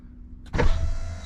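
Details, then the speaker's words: Ferrari FF after fitting an Antigravity lithium battery, testing windows dropping when the door opens: smooth, even motor hum with faint steady whine as the glass lowers, no grinding or binding. Normal power window operation. "I'm going to test the windows out and make sure that they go down when you open the door okay that worked good"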